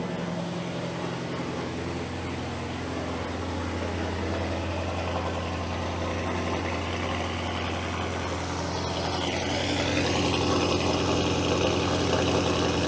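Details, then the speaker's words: Audi 4.0 twin-turbo V8 idling after a spark plug replacement: smooth, even idle with a steady, regular exhaust pulse, settling as it warms, no check engine light; normal idle. "Man, that exhaust sounds good."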